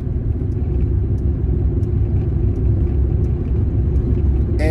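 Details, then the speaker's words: Lincoln Town Car (Panther platform) cruising on back roads: steady, deep droning rumble under the road noise from another bad rear axle bearing. The Moser axles were replaced about 11 months earlier; the car repeatedly eats rear axles. "that is the sound of another bad fucking axle. It drives me absolutely shithouse nuts."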